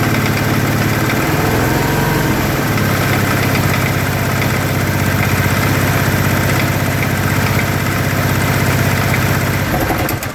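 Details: 2013 Kawasaki Teryx FI 4x4 LE at idle: rough uneven knock about three per second over the steady idle; unclear whether engine or clutch.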